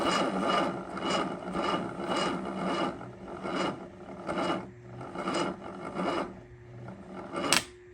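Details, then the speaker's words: Sunbeam Alpine engine cranked from a jump box set to 50 amps with a poor battery, trying to build oil pressure before starting: labored, uneven slow cranking that slows down with no firing, attributed to the weak battery. "So, in a perfect world, you'd do this with a battery that is actually decent. I pulled a crappy battery that actually hardly works to begin with, so that I'm sure doesn't help."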